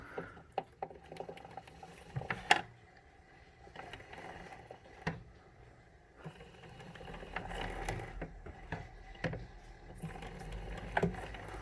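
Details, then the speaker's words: Concept2 rowing machine, upside down after oiling: scattered clicks and clunks on each pull and return over a soft whirr, with a hesitation unless pulled hard; quieter in this position, source not found. "there's like a hesitation when it goes back in and and comes out it's not a smooth unless you pull really hard"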